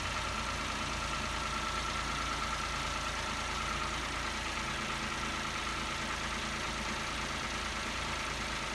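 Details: Peugeot 107/Toyota Aygo/Citroen C1 1KR-FE engine after water pump, drive belt and antifreeze replacement (old pump bearings failed): steady, even idle with constant pitch and no knocks, rattles or squeals; healthy.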